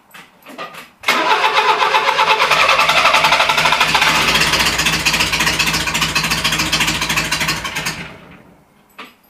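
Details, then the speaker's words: Renault Trafic van engine restarted after 23 years of storage, homemade exhaust fitted, Renault Express choke cable: long run of regular cranking about four beats a second for several seconds before firing, still struggling badly to start. "C'est c'est pas dit que ça démarre parce que ça galère encore beaucoup à démarrer."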